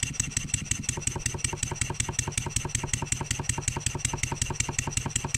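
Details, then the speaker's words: Stuart 7A steam engine after valve eccentric timing adjustment chuffs fast and evenly, but a sharp metallic knock comes with each beat when load is applied to the output shaft; cause unknown, disassembly planned. "you hear it Knocking get that exhaust blow it away from the camera you know when something's knocking we need to answer it"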